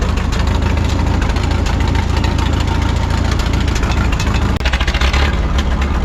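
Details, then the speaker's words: 1951 Farmall M tractor idling after new points fitted and contacts filed: uneven idle with irregular stumbles and a clear sputtering dip, still missing and hesitating; owner suspects carburetor, not confirmed, to be swapped for rebuilt unit. "no luck there still doing the same thing but at least we know we have good points in there now"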